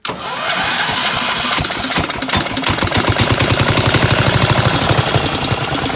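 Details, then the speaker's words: 1975 Gravely 816S tractor, starter swapped from a parts engine: catches after cranking and runs lumpy, surging and stumbling, over-fueled, with fuel valve opened and closed to keep it running; gas pouring from back of carb, float suspected stuck, carb needs cleaning. "But, definitely the float's stuck or something cuz it's just pouring gas out of the back of the carb."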